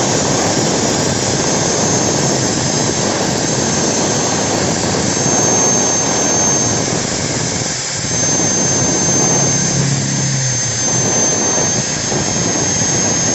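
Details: Angle grinder rebuilt with a MODERN M-2300B stator combined with a MAKTEC MT90, test-run with the lower body not yet installed: steady high-pitched motor whine at even speed, no brush sparking, rotation counterclockwise; runs healthy.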